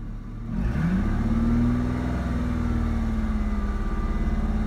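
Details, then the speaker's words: 2004 Ford Mustang 3.8L V6 automatic at idle after a minute or two warm: rough thumping misfire pops, car shakes each pop, scanner showed fuel pressure over 60 psi; fixed by replacing faulty new SMP T-Series ignition coil pack. "popping noise. Can't seem to figure it out. Now it's starting to do it a lot more. And every time it pops, the car shakes."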